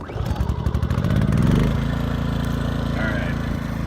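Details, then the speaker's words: New Westinghouse iGen2500 generator after brief break-in, oil added, on choke, heard from about six feet away across a 28-foot camper: pull start, quick rev, then smooth, even, quiet hum; normal running. "as you can hear it's actually on the other side of the camper as things unbelievably quiet"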